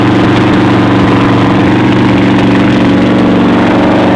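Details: Yamaha V-Max V4 motorcycle engine (motor #3) idling with a dull deep knock under the exhaust beat, rod knock; engine is to be pulled.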